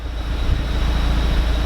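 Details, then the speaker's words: Audi TTS mk3 warm idle at about 850 rpm after fitting APR coil packs and NGK spark plugs and clearing codes: steady even low rumble, needle solid, no stumbles; previously rough, hunting 400–1500 rpm. "and as you can hear now it's currently running it is either imperfect at around 850 revolutions so yeah it's idling the needle is solid no movement"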